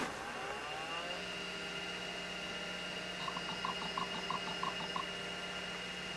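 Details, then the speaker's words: Apple Macintosh SE (dated 1987/1989, stored since 1997), MacBottom external hard drive (20MB, or possibly 10MB) switched on first from the rear power switch: whir climbs in pitch, settles to steady high hum with soft clicks; normal drive spin-up. "now i'm going to try to turn it on i'm going to uh go in the back and here's the back side here and the power switch i'm going to turn on mac bottom first and should be able to hear"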